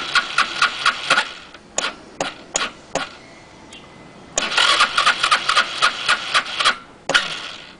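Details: SYM Xpro100 scooter: starter whirs in short repeated bursts, about four a second, engine never catches; cranks but won't start, cause unknown.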